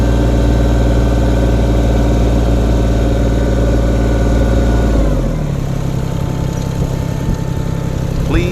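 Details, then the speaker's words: Kubota tractor diesel with a loose throttle cable linkage: holds steady, then around five seconds the note sags and settles at a slower idle; after tightening one 12 mm nut it still drifts, and a missing lock nut is suspected. "needs another nut in addition to the nut that we tightened, and that will tighten those together and keep them from backing off so quick and loosening the throttle."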